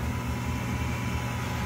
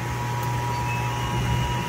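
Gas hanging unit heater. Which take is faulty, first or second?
second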